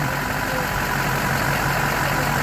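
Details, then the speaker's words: Rebuilt Duramax diesel, first start after rebuild, before warm-up to operating temperature: steady even diesel clatter and a smooth low rumble at idle, no knocks or misses; normal diesel idle. "first start here goes oh man that's sweet right there you hear that oh man oh yeah"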